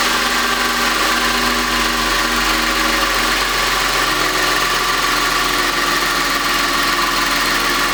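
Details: Audi A8 3.2 FSI after intake carbon cleaning and manifold refit: steady even idle with a constant hum, no misses or stumbles; running smoothly.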